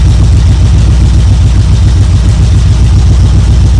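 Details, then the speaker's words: 1972 Chevrolet C10 V8 idling evenly after a choke start on a battery charger in about 40° drizzle; it briefly flooded, then ran with good oil pressure, deep steady burble, no knocks or misses, warming up: normal idle. "well there we go we got good oil pressure it's running figured it would take off it just kind of flooded for a second there"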